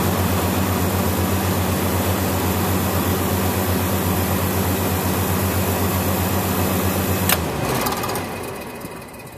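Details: System dipping the power on startup; capacitors were suspected, but they checked okay and only fan capacitors were changed. A steady mains hum from the compressor runs a few seconds, then cuts out abruptly: cycling on low pressure caused by a refrigerant leak.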